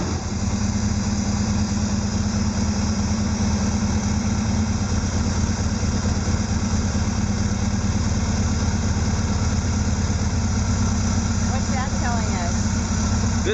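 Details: 1974 Porsche 914 2.0 L with MPC fuel injection, after installing the distributor and setting the points: steady low idle with an even deep thrum and no clear misses. Mixture (control-unit potentiometer) and timing are not yet set.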